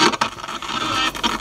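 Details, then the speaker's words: Crackly volume potentiometer on a 1980s Toshiba RT-5160S stereo radio tape recorder boombox: radio sound breaks into scratchy crackling bursts each time the volume knob is moved, but the unit works. "So it's got a little bit of noise from the volume knob there. But you know what? It works."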